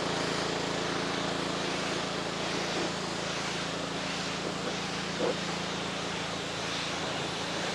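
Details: After a pump replacement (an unloader repair was tried first and failed), a 2.4-gallon Simpson pressure washer with no pressure now runs normally. Its small engine holds a steady, even drone with a constant low hum and no surging or knocking.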